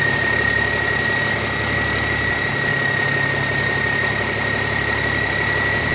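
Steady, even diesel idle with a faint whistle riding on top; no knocks or misses, the big cam runs smooth and healthy.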